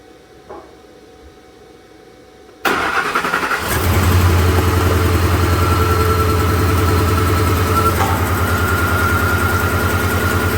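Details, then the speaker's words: 2007 Ford F-150 4.6 V8 with a flashing MIL and P0302 starts and idles with a lumpy, uneven beat. Unplugging the number 2 injector made no difference, isolating the misfire to cylinder 2, which is not running. "so because it made no difference when I unplugged number two injector that kind of proves that number two is not running"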